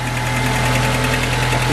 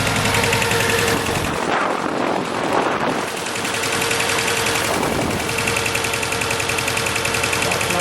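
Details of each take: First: 2006 Mercedes A150 (W169) petrol idles smoothly with a steady low hum and no missing beats after bypassing the open-circuit injector 4 wiring; misfire fixed. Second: 2006 Mercedes A150 (W169) petrol idling: uneven chuffing beat as cylinder 4 drops out despite spark, fuel and compression; cause injector 4 open circuit in wiring, fixed by bypassing injector wiring.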